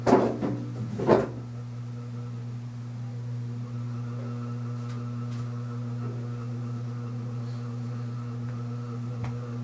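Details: c.1980 Homestead Whisperfan II ceiling fan, bearings good. After handling thumps, a steady low motor hum with a fixed tone as speed is turned up. The loose switch housing makes the glass rattle; otherwise a normal hum from a loud model.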